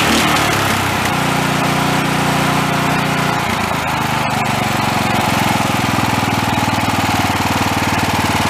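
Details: Greyhound 11 HP Honda-clone engine made by Lifan, after carburetor cleaning and enlarging main and low-speed jets: small single-cylinder runs steadily at fast even beat without hunting or misses; running well.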